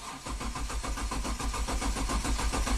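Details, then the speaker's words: 2005 Kia Sorento 4x4, intermittent then permanent crank no-start, fuel pump and crank sensor already replaced, main relay energized manually: starter churns steadily for seconds but engine never fires; failed engine control unit, as dealer diagnosed. "Still nothing. So bad engine computer, the dealer was right."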